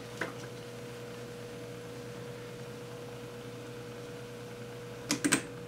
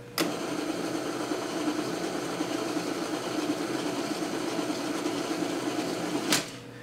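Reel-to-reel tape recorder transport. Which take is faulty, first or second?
second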